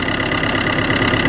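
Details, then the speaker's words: Car with a flat battery started using a battery booster: steady, even idle hum with a smooth firing rhythm and no knocks or misses after the clamps are removed. Normal idle. "quand vous voyez là le moteur qui tourne donc je vais retirer gentiment le négatif et le positif"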